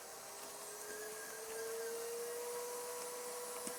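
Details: Mini Pak'r air pillow machine after replacing dull blade and worn belts that stopped film feeding: quiet motor hum with a thin steady tone climbing a little to speed, light ticks; normal operation after repair.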